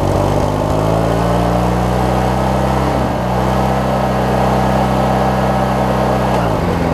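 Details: Craftsman 42-inch riding mower with 19.5hp Briggs opposed-twin engine, after governor and governor-spring setting, tested outdoors: steady even drone at constant pitch a touch high; governed speed slightly fast, to be backed out a little.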